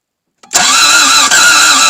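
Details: Toyota MR2 AW11 first start attempt after a new fuel pump, with spark confirmed: a steady whirring crank with an even high starter whine that never catches. The engine cranks but won't start.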